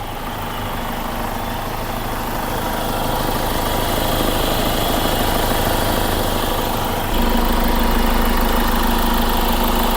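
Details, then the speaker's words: Diesel with Delphi injectors that sometimes stalls and has an oil leak between transmission and engine, fuel filter possibly dirty: smooth, regular idle clatter with no stumble or smoke; injectors sound fine, normal idle. "Pero magandang tunog ng makina, parang walang problema sa injectors."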